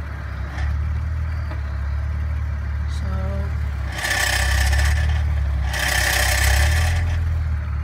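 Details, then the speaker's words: 2004 BMW E46 330ci, noise from underneath when releasing the clutch and accelerating in first gear: low engine drone with two bursts of harsh clattering rattle; cause unknown, owner asking for help. "I have this issue of some clustering sound coming from the bottom of my car I cannot identify what the noise is I'd appreciate any help so it it is when I press the clutch so and I try to accelerate in my first"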